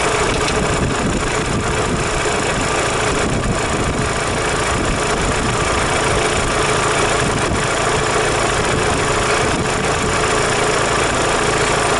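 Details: Daewoo Lanos 1.6 16V at idle after a head gasket replacement and head resurfacing: fast, irregular tapping knock, rough and constant; appeared after driving home; owner suspects the mechanic's work or a failed roller, source unclear.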